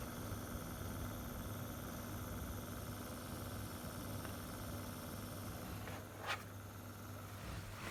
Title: Weird noise coming from my Xbox one s